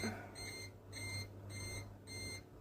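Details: PC build on an ASUS M5A78L-M motherboard: high, even beeps about twice a second over a low hum, which is the board's CPU overheat alarm sounding until it is silenced with a button. CPU over-temperature alarm.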